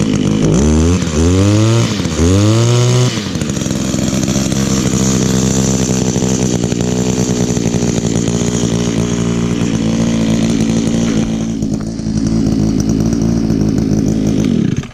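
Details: Almost 18-year-old two-stroke trimmer that seemed to want to die just before. Sharp rev blips, then a steady high buzz before shutoff. Runs excellent with great compression; normal running.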